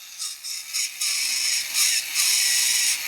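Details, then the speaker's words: Bachmann model steam locomotive drive on a run-in test: a thin high motor whine in short bursts, then a steady run with no grinding or gear chatter. The drive sounds normal. "doesn't sound like any years or bro all right good"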